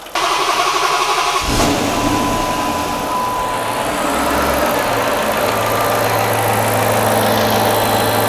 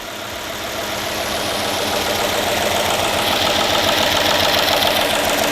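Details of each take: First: Refreshed Hemi V8 in a Dodge Magnum, first start after reinstall, lifters not replaced, dual-style coil conversion: catches and settles to a steady, quiet idle with only faint ticking, maybe slight lifter tick plus normal injector tick. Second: Dodge Magnum Hemi, first cold start after an engine refresh: fast even ticking about three to four per second over the engine, with steam from burning oil. Lifters very rattly until oil pressure builds: hydraulic lifter tick on cold start.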